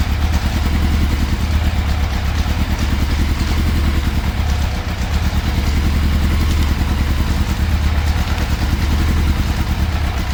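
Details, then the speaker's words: 1988 Yamaha FZ750 Genesis, fire damaged, after rebuilding the carburettors, on full choke: heavy, lumpy idle swelling up and sagging back, hunting about 1000–2000 rpm and cutting out off choke. "okay so it is still not running right whatsoever because you can well you can hear it it's like it's hunting it's reving you know it's going up to like 2000 r pm. then it's going back down to 1 and as soon as you start taking that choke off it is still cutting out"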